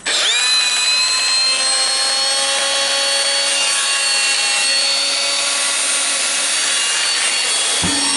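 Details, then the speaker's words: Makita DGA504 cordless angle grinder after armature ball bearing replacement, spinning up to a steady high whine; sounds not bad, with only mild used-tool noise, the earlier bad bearing noise gone. "it sounds not bad you have some additional sound"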